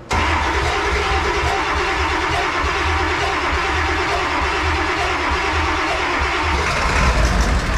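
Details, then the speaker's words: Ford Powerstroke diesel tow truck that wouldn't start for months, ether sprayed; catches and settles into a loud, lumpy, hunting idle that never smooths out; definitely not running smooth, cause not confirmed. "okay definitely not running smooth but it's running why wouldn't it start for months"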